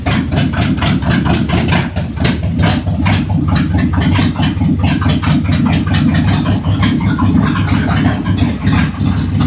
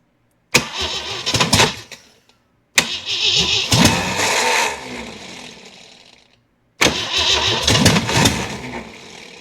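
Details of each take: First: Jeep CJ7 258 inline-six, fired up after fuel added: even, steady low idle with regular firing pulses, no knocks or misses, about 50 oil pressure at idle; normal idle. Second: Jeep CJ7, project not run in a long time, fuel poured into the carburetor: three cranking bursts, each spinning fast with a few ragged coughs but never catching; cranks but won't start, timing suspected, spark plug wires crossed.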